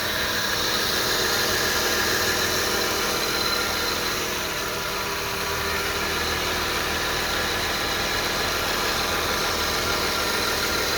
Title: whining sound at around 1k rpm. 2002 is300 161k miles. Video 2.